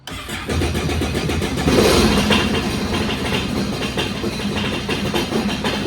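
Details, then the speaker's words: Sea-Doo Spark jet ski (55 hours) with new battery fitted, brief first start after winter storage; starter whirs briefly, then the engine catches cleanly and settles into a steady even idle with no misses, a normal start. "Okay, so it does fire up."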